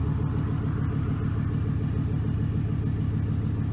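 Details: 2006 Chevy Silverado 1500 4.8 V8 just after replacing the oil pressure sending unit, now reading 40 psi: steady, even idle with a smooth low rumble and no ticking or knocking; engine sounds healthy.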